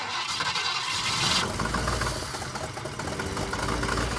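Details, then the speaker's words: 1962 Ford Falcon, first start after sitting more than six years: uneven, chugging idle with irregular clunks right after firing up; rough running from incorrect ignition timing. "I'm happy to hear it run. Running good, I wouldn't say that."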